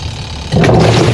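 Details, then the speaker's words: Sharp single-tub washing machine: spins fine empty, but with water one side grinds like stones underneath and it stalls when more water is added. A low rough drone swells under load; the cause is a worn gearbox, to be replaced. "Yan, kung maririnig nyo, para na siyang may bato sa ilalim. Bali, ang problema kasi nito mga idol ay gearbox."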